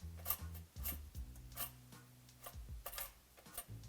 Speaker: is a worn-out bearing that absolutely needs to be replaced